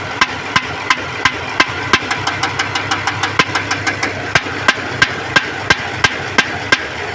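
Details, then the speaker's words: Dodge engine idling with sharp firecracker-like pops about three times a second; pulling components one by one; misfire. "आवाज एकदम आती इसके पटाखे की तरफ फायर मार रही है।"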